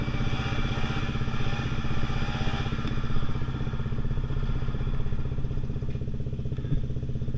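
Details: Pulse Force 50cc two-stroke road test after fuel-starvation fix, GoPro on bike, 14-stone rider, about 37 mph and still pulling. Fast, even buzz, steady under load, no bogging or stumble; normal running.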